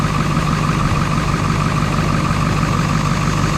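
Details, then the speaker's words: 1999 Ford F250 7.3 Powerstroke at idle after years sitting: constant airy hiss with a faint whistle under the low idle rumble. An air leak is suspected at the turbo downpipe, not confirmed; the A/C compressor also appears locked and smoking its belt. "I was I was hearing what sounded like an air leak out there under the uh under the hood sound like it was leaking at the uh at the down pot"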